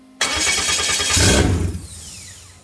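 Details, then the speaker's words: Viking Aircraft 130 engine fuel test with a clear supply line and fuel pumps purged: the starter spins hard for about 1.5 seconds, then winds down without catching. Cranks but won't start; it sometimes spits black smoke. "try to crack the twaddle just a little bit more come back in here crank it again and see we get nothing that's about it"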